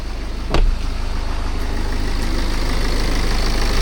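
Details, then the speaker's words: BMW F10 518d B47 diesel after turbo replacement and boost leak fix; after a blip settles into a smooth even idle with steady low thrum, no hiss or whistle; no more boost or oil leaks, runs healthy. "So yeah, there's no more boost leak, no oil leaks, nothing. And yeah, the engine runs solid now."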